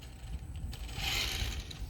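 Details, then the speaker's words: H1 Hurtle RC car with a cheap brushless motor/ESC combo replacing burned-out stock electronics, slight throttle hesitation: rough grinding chatter swelling as power comes on; loud stock plastic gears straining under the stronger motor. "Like I said, it does have that little hesitation with the cheap ESC motor combo, but when it goes, it goes. And it's loud, man. Them gears are loud."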